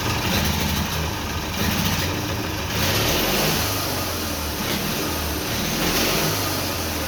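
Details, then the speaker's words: Twin-cylinder Briggs & Stratton engine on a mini bike, first start after carburetor rebuild, with homemade black steel pipe exhausts. A loud, raspy twin rises and falls with the throttle, firing evenly on both cylinders and running cleanly. "fired right up on both cylinders it seems like"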